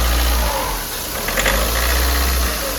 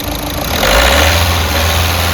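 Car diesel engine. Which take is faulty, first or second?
first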